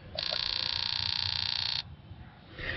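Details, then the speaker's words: 2001 Prizm (Toyota Corolla) 1.8L with a 171 code, injector driven by an OTC 3398 pulse tester at 50 pulses: crisp, even buzz of about a second and a half; clicking cleanly, working normally. "now i'm going to go to 50 pulses you want to hear 50 pulses"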